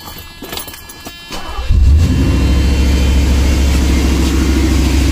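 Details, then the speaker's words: 1986 Mercedes W126 420SEL; engine catches and settles into a fast, steady idle near 2000 rpm, dropping once the idle air control valve connection is made: high idle from poor IAC valve connection. "okay so immediately you guys can hear it's idling quite high in fact it's idling close to 2000 rpm"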